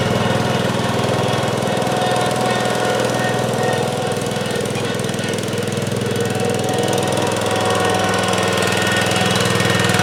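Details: 1971 John Deere 140H3, Kohler K321 single-cylinder, after carburetor rebuild and new float fixed fuel pouring from carb: steady, even thumping, no stumbling or surging; normal running.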